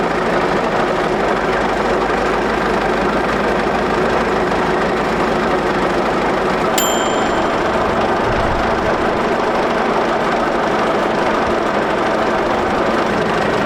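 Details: 1941 Caterpillar dozer, sat for a few years: steady, even diesel clatter at low idle with no misses or surging; pushing the control forward shuts it down, so it will only idle.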